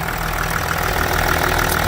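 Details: Range Rover Sport L320 3.0 V6 twin-turbo diesel (306DT) after inlet manifold replacement for intermittent P1247/P006A restricted performance: steady diesel clatter at a cold idle, no misfire or hunting; sounds healthy.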